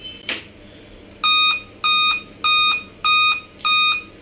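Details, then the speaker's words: Dell Inspiron 3567 laptop at power-on, display working: five sharp high-pitched beeps evenly spaced about 0.6 seconds apart, a five-beep startup error code. "ऐसे ही beep लगातार sound इसकी ए रही है display भी इसका ए रहा है बिल्कुल ओके चल रहा है लेकिन ये बीप की साउंड जो है ये ए रही है"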